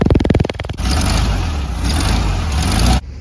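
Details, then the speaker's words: 1966 Volkswagen Beetle air-cooled engine at warm idle before an oil change (Castrol GTX High Mileage 10W30) and cold valve lash: steady, even low putter with no misses or knocks, running great. "All right, so she's nice and warmed up now. Sounds like she's running great."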